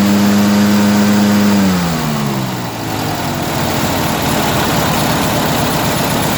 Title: strange engine sound